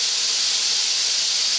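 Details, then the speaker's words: Steam boiler safety valve being set: loud, steady high-pitched hiss as the valve lifts and pops off over the injector; first popped at 120, then 80, way off, still being adjusted. "pops all beautifully over the injector now it's really popping off now I got to I'm still adjusting it now I popped off 120 now it's 80 so that's way off"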